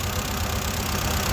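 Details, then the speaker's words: 2016 FAW XPV four-cylinder at idle, injector connectors unplugged one at a time: unplugging the third gives no change, so that cylinder isn't firing. Rough, lumpy idle with a skipping pulse; misfire on the third cylinder. "इस जो है व कोई रेस्प नहीं दे रहा हालाकि इसकी र है भी ओके है तीसरे सिलेंडर पर जो है ना हमारा इंजन जो है इंजन पर लोड नहीं पड़ रहा"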